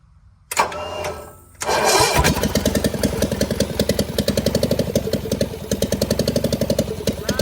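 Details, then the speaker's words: John Deere 400 with Kohler K532, unrun for about a decade and with a bad governor, first start on a makeshift fuel supply at full choke: it cranks, catches and settles into a steady, even chug of three to four beats a second, no knocking and no smoke. Runs normally. "okay it runs no uh no smoke like I said a lot I got a lot of work to do this tractor"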